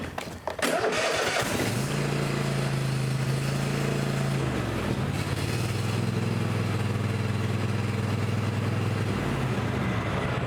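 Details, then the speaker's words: Cub Cadet XT1 mower, Kohler 7000 Series KT725 engine, after valve lash adjustment for hard starting and hanging on compression, new battery, started on choke: a few cranking turns, catches and settles into a steady even idle, no hang. "So now that we got the valve lash adjusted and everything, and the engine, everything's put back together, we go ahead and fire it up and make sure everything's working."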